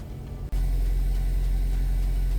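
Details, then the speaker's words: 2002 Toyota Corolla LE Copart rebuild at idle after clearing a cylinder 4 misfire code (coil suspected): steady, even low rumble with no stumble or skipped beats. Running smoothly with no misfire, normal idle. "I cleared the codes no more check engine light the code came up as a number four cylinder misfire so it's probably a coil I'll probably buy all four coils and spark plugs doing mini tune-up and so far it's not misfiring it's running pretty dang good"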